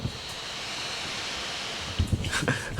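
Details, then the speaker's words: Laptop cooling fan running loud: constant high whirring hiss, steady with no rise or fall, followed by handling noise. "okay this fan is loud can you hear that"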